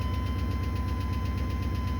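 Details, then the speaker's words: 1980 Chevy C30 rollback with 8.1 L Chevy V8 swapped from an 03 Silverado 3500, low battery, at idle: steady idle with quick even tick matching engine speed; bad lifter tap suspected, new since days earlier. "it's got a really bad lifter tap. And I certainly didn't hear that the other day."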